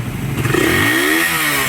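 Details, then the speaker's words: Motorcycle after its noise was fixed by replacing the piston ring and the guide; black cams had been suspected for such noise. A clean short rev blip rises and settles smoothly with no clatter or tapping; it sounds like new. "Yun yung ingay no? Tapos na. Ayos, wala, parang bago ulit."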